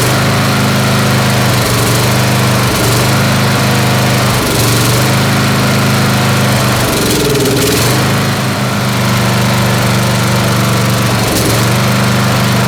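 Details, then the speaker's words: Snapper SR-Series mower with a 10 HP Briggs & Stratton stored 10 years, running a modified aftermarket Amazon carburetor (jet drilled to 0.030) with full choke: steady drone that dips and stumbles every few seconds, missing, not backfiring. "Missing over there. It's not backfiring from here. I heard it missing over there."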